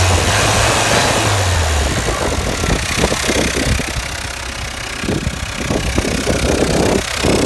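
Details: 2007 Peugeot Partner 1.9 diesel (DW8B) idling: uneven knock about three per second over the clatter, caused by faulty injector; replacing it with a used injector cured it.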